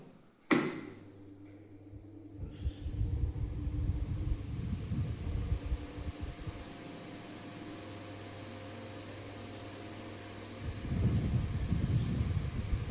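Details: Table fan after core coil repair and reassembly, previously not running: a switch click, then a steady low motor hum with a faint even tone, no scraping or rattle; the fan runs normally.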